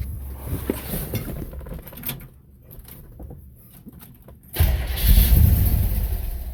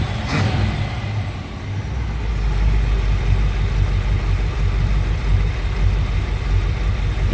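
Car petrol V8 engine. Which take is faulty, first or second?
first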